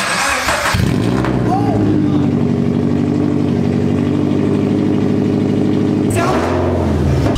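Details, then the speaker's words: Subaru BRZ on air suspension with the crushed exhaust system removed entirely, running with no exhaust fitted: very loud, raw, rapid puffing drone at steady idle with a harsh bark on starting. "that sounds really bad puffing so much more I'm sorry people around me I am so sorry to everyone around me so loud oh my god"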